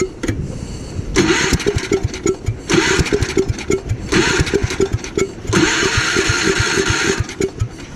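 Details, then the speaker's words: Gravely Commercial 12 34" snow blower, cold, after carb cleaner is sprayed into the intake: four cranking bursts fire briefly but never settle into a run. Hard starting from fuel starvation, with a shrunken fuel line at the carburettor suspected. "whoa the fuel line on the car is like totally just shrunk it's like I doubt that gas could even get in this thing"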